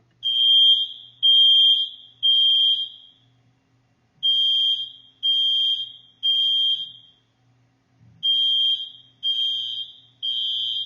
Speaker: when you hear the beep beep beep it is saying get out fast get ready to move